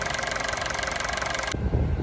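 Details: Honda City on CNG/gas, after fixing the engine stalling as soon as it switched to gas, no leaks: steady even idle with smooth regular beat, no stumble or miss; normal idle.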